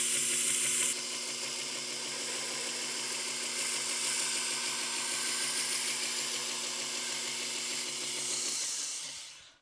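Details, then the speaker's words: Bucktool 2x42 variable-speed belt grinder at low speed while thinning a knife: steady hissing belt whir with a thin whine; pitch rises slightly when the blade is tilted and stays even when flat. "I can kind of hear it's a little higher pitch if I'm tilted, and the pitch is more even when I'm flat."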